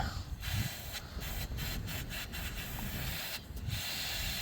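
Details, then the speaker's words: 2000 Chrysler Grand Voyager, AC not working: steady refrigerant hiss that changes when covered, leaking where the line behind the high pressure switch rubbed through on the firewall; needs line replacement. "If I stick my hand back there, I can feel where the line is rubbed through, and I can change the noise as the pressure leaks out of it."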